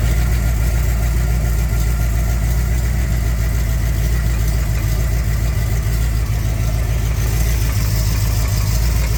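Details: 400 V8 in a Z28 at idle: deep, steady rumble with a low, repeated knock underneath; suspected rod knock, unconfirmed.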